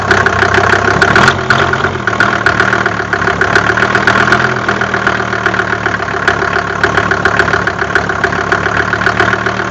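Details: Mercedes OM605 diesel at idle: sharp, regular knock riding over the diesel clatter throughout; source of the knock not clear.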